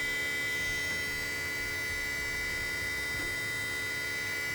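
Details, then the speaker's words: BMW 535 xDrive right after water pump replacement: even, unchanging electric hum with no grinding or rattle, the normal sound of a healthy electric coolant pump. "you hear that that's a good water punch it sound and the stream should be perfect"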